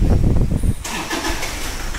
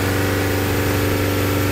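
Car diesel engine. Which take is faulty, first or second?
first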